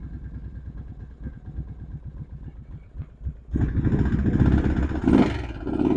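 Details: Kawasaki Prairie 650 V-Twin ATV at idle with choke partly on: loose regular knock, three to four a second, buried under revs; runs and drives, smokes a little; owner guesses crankshaft, or possibly severe piston slap.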